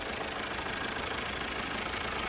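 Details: 2016 Mazda 3 2.2 Skyactiv at 166 km, with a condemned turbo and an injector bank one/A circuit fault; injector washers and other injectors are also suspected. Uneven, lumpy idle with a pulsing, clattery beat; it runs rough and misfires.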